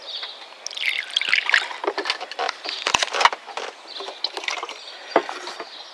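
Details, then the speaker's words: Water poured into the other sunroof drain after cleaning it out; irregular splashing and gurgling as water is sucked freely down the tube: drain flowing clear. "Yes, it's draining also. And we'll probably hear the suction too over here on this one."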